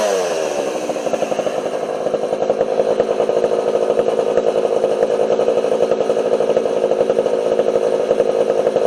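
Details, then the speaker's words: Homelite 240 chainsaw after carburetor idle and low jet adjustment: revs up and settles into a clean steady high buzz, no misses or sag; runs beautifully and cuts well. "but that saw runs beautifully that thing cuts like a demon"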